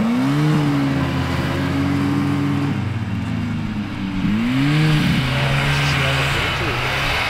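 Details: 1974 Johnson 440 two-stroke snowmobile, long-stored, carb unadjusted: revs rise and fall with throttle, pitch climbing smoothly and holding steady; long-unmoved parts freeing up, sled running fine and judged a viable machine.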